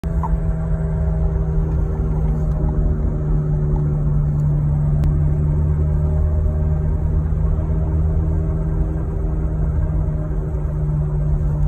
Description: 2007 Saturn Vue 3.5L FWD speed related humming sound. Sound starts as soon as vehicle begins to move but is loud enough to easily hear beginning about 20mph and progressively gets louder with increased speed.